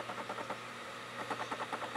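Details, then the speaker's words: LG newer optical drive reading a DVD: quiet repeated ticking and whirring bursts as the laser head seeks over and over without settling; slow to read, struggling with the disc but it works. "This must be a millennial drive. Anyway, it works. It's just slow and it's crap and it's, well, LG."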